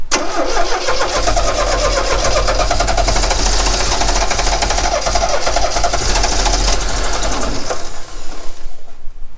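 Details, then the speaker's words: 1969 Renault 16, not run in years, on external fuel supply with starting fluid after swapping an HT lead: steady fast cranking with a few weak uneven catches, never runs; owner thinks it fires on maybe one cylinder. "Wants to go. Well, that didn't work, did it? Slightly disappointed, to be honest."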